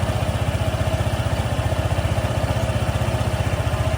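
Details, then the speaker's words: Honda ADV 160 after a rear pulley and CVT clutch service for friction noise following hard top-speed riding. On restart it idles as a steady, even single-cylinder pulse with no grinding or belt-drive whirring, so the noise is fixed. "Okey siap settle. Bunyi pun dah cantik tak ada masalah."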